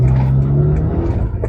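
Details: Toyota Avanza F652, 3SZ engine, with a vibration-noise complaint that three workshops could not find and no fault codes: under way, low even engine hum with no buzz or shudder; normal running.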